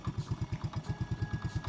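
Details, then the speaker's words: Honda motorcycle with rebuilt top end (new carburetor set, new cylinder barrel), electric-started: even, soft single-cylinder putter, steady with no knock; owner says engine runs smooth; normal idle. "รถรุ่นนี่มันมันมันไม่ค่อยจุ๊กจิ๊กอยู่แล้วจ้ะจเครื่องกนิ่มดีนิ่มแล้วนิ่แล้วโอเคครับผม"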